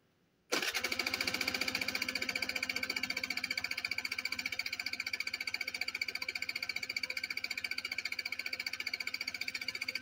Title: my bike wont start :c